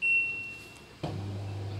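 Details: An LG LD2040WH dishwasher, after repair of the faulty door-closed detection switch, gives a single short high start beep, then the low pump hum begins about a second later. The door now accepts start, which is normal.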